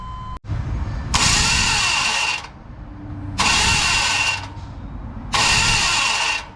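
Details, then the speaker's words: 1998 GMC Suburban 1500 4WD with 244,259.7 miles: engine won't crank, only three harsh metallic grinding bursts. The starter is not engaging the flywheel; the flywheel teeth are likely stripped. "oh that's not good starter motor is not engaging the flywheel it's popping as you hood see what's going on"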